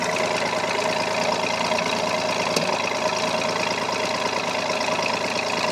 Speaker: So this is 3 other cylinders that, you know, same temperature, same thing. Here's the other 3 cylinders that are hitting correctly.